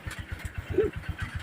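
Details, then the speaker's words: Honda Supremo 150 motorcycle after replacing the failed 6203 bearing and reboring because it was smoking and using oil: steady even idle, no scraping or grinding even with clutch pulled in; normal idle. "Okay na mga idol oh. Wala nang ingay. Kahit pisilin na yung clutch oh. Hindi na siya nag-iingay."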